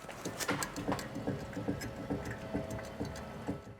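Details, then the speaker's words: 2011 BMW E92 M3 (S65 V8) front wheel bearing during subframe removal: rough, gritty rumble with clicks about twice a second from a worn bearing needing replacement. "we need new wheel bearings as well just did the same on the other side but listen to this wheel bearing here"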